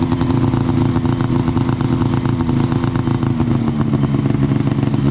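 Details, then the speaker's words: Arctic Cat ZR 6000 snowmobile after new spark plugs and new complete exhaust with Mountain can: crisp, even two-stroke crackle that picks up cleanly when revved, no misses or rattles; healthy running. "W oh my God that sounds [Music] awesome let's rev it up a little bit [Music] sounds good"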